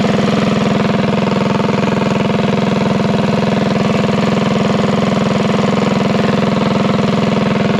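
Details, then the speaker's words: Small single-cylinder go-kart engine of unknown history, revived and set to about 2,000 rpm for break-in: a steady, even beat with no knocks or misses, running healthy. "well don't sound too bad for a junk motor that i know nothing about"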